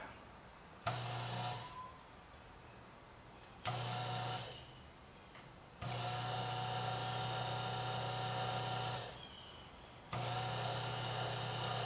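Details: 12 volt water pump motor bench-tested on a battery charger: short bursts of smooth, even electric hum with no rattle or scraping; the motor spins freely.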